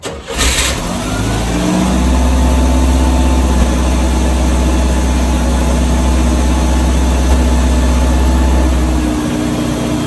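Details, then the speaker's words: 1986 Chevy S10 Blazer 2.5L with runaway idle: cranks, catches and settles into steady even low idle, not perfect but much improved. "i think it's idling normally oh holy crap [Music] it's still not perfect but it's a whole lot better"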